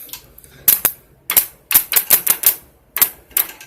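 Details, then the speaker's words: Honda CB400T Hawk, starter solenoid jumped directly: sharp dry clicks in short uneven bursts with no cranking; engine is seized, starter cannot turn it. "well you can hear the starter clicking in there unfortunately that hasn't done its magic"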